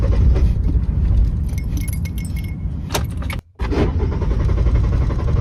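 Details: Car cranks but won't start: the starter spins in a steady low chug of about three to four beats a second and the engine never catches.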